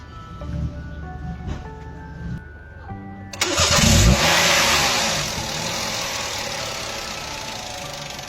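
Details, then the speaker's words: Toyota engine after repairing a misfire traced by disconnecting ignition coil connectors and fixed by replacing a damaged coil connector terminal pin: it catches quickly on the crank and settles into an even, steady run without stumbling, over background music; misfire resolved. "Once that was done, the engine started right up and ran smoothly, indicating the misfire was resolved."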